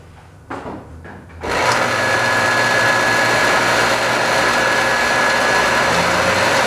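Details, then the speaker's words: Scrap-saved single-phase air compressor motor with a run capacitor, unloaded and run on its full 240 V design voltage, drawing about 2.2 A. Clicks, then a smooth, constant hum. "The bearings sound a little old, but definitely have a lot of life left in them."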